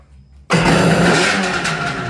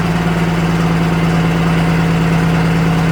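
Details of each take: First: Restored Kawasaki 550SX two-stroke jet ski (stage 2 ported reed motor, dual 38 Mikunis) after battery charge and low carb screws set one turn out: catches abruptly, settles into steady crisp even run, no misses; sounds great. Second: Restored vintage Kawasaki 550SX (reed motor, stage 2 port, dual 38 Mikunis) first start attempt: strong, even cranking that never catches, then stops; no fuel reaching one pickup line, pulse lines good, carb suspected.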